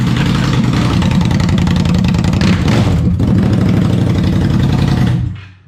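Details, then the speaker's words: Indian Scout V-twin with the stock mufflers removed, straight pipes: deep, loud, choppy burble with hard, uneven pulses about four a second, then shut off; far louder than stock. "my ears. Leave that. Oh my God. Sounds so different. Those mufflers do a hell of a job."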